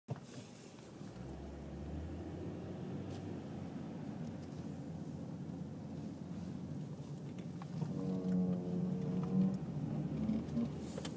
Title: Noise when turning right